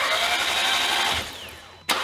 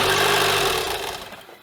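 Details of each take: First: 2015 Audi TTS rollover project, spark plugs and coil packs removed, cycling key to prime oil before first start: fast even starter whir spinning the free engine in bursts; normal cranking. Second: 2015 Audi TTS rollover auction car, first start attempt with timing, plugs and air filter checked: engine catches, runs briefly and dies, repeatedly. Owner suspects something such as deployed airbags is telling the engine to shut off.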